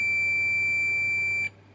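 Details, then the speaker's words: Onkyo SR576 HDMI board: a steady high continuity beep for about 1.5 seconds, then it stops. Probing the DSP and capacitors on the shorted 3.3 V regulator output rail confirms the short there as well. "and the DSP if we check here there's also some short here that one see there's also some sh here and on some of this cups"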